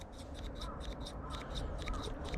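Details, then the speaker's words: Bonsai scissors after sharpening on a whetstone: quick, crisp metallic snips about four a second, blades meeting firmly and cleanly with a distinctive squeak indicating success, versus a raspy, dull sound before sharpening. "Khi kim loại va chạm mạnh vào kim loại, nó tạo ra âm thanh kêu cót két độc đáo. Nếu bạn nghe thấy loại âm thanh này, bạn đã thành công."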